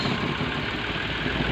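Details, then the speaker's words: Mitsubishi Mirage G4 with a no-crank no-start complaint, starter bridged directly at the starter relay: engine starts and idles steadily with no misses, ticks or grinding, showing the starter is good. "Umandar siya. Ibig sabihin buo pa yung ating starter."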